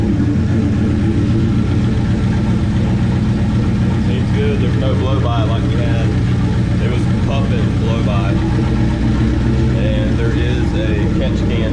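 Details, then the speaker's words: 1969 Plymouth Valiant, 360 Magnum V8 with FiTech EFI, GT45 turbo, TF727, first cold start on new heads after a blown head: deep, steady idle, even low rumble, no misses or knocks; normal cold idle. "the cold starts on that efi is awesome seems happy"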